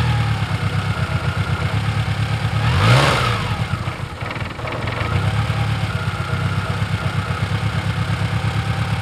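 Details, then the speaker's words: 1996 Toyota Camry first start after timing belt and water pump replacement, unrun for over a month, alternator disconnected and no coolant: fires and settles to an even idle with one rev blip, no knocks; rough running blamed on sitting. "i would call that a success yay thing hasn't run in over a month and now the beast is back"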